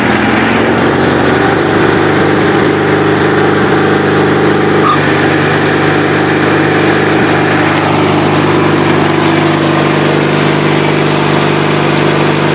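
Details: 1984 Craftsman GT/18 lawn tractor with new spark plugs and fresh oil, drive belt worn: steady even single-cylinder putter at constant speed, no misses, knocks or rattles; runs very well, normal running.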